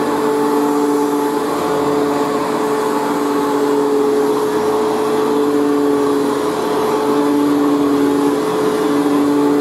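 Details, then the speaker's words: Unused vintage vacuum cleaner, not run in years, freshly assembled: steady even motor hum at constant pitch with light scratchy hiss from brand-new carbon brushes bedding in; runs very well. "so it runs very well actually and considering it hasn't been run in years their carbon brushes in the melter meter sitting because of course it's brand new so that's the scratching noise you can hear"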